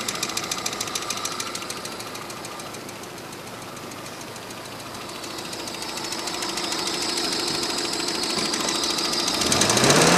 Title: стук в двигателе 417